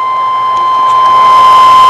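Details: 200 W pure sine wave portable inverter running from a 12 V car battery, powering a light. A steady high-pitched tone with a constant airy hiss is loud enough to fill the room and doesn't change with load; the noise is its main drawback.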